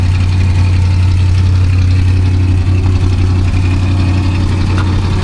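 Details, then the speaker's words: 1978 Dodge Monaco patrol car, described as pretty original, idling with a deep, smooth, even V8 burble, no misses, knocks or ticks; runs like a million bucks, though a small exhaust leak is noted afterwards. "It's pretty original, fellas. It runs like a million bucks, though."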